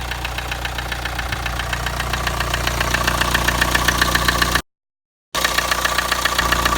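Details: Kia Sportage engine: steady, regular knocking about four per second over idle, starting right after startup; engine knock, cause unknown.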